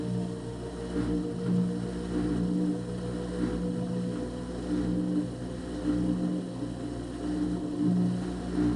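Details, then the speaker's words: Front-load washer with a no-water-entering complaint, high-RPM spin checked for bearing, drum or door boot gasket contact and side-to-side sway: steady motor hum with even swishes, no scraping or rubbing. All functions normal; technician suspects out-of-balance loads. "all the Cycles have test good from door lock to water valve to water valve turning off to agitation to drain now spin all functions appear"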